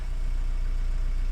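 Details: 2010 Renault Mégane 1.9 dCi diesel just restarted after a P0090 crank-no-start; the solenoid draws about 1 A at start. Low, steady, even rumble with no knocks or misses; healthy idle.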